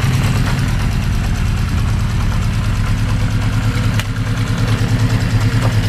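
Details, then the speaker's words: 1980 Honda CB650, warm after 10–15 minutes of idling, fresh oil: light tick about three times a second over the exhaust beat; runs better after the oil change. Owner suspects the mid-engine cam chain area; source not located. "In my opinion, it goes from somewhere here, but I cannot locate it. Looks like from the middle of the engine, which is where the cam chain is."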